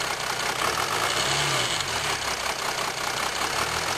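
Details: 2007 Jeep Grand Cherokee 3.0 CRD diesel, camera on the battery: light, uneven metallic rattle over a steady idle clatter. Owner suspects timing chain rattle on the drive side, unconfirmed.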